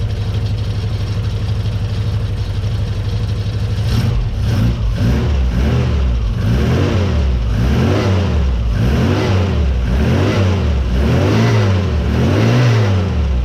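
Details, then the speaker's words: Frogeye Sprite four-cylinder blipped repeatedly from idle after tuning, timing set by ear and new coil fitted; misfire seems cured, revs rise and fall cleanly and evenly with no stumble. "that sounds happy well we've battled the frog eye we've done a bit of tuning on the engine we put a new coil on it was that it had a misfire it seems to have cured that"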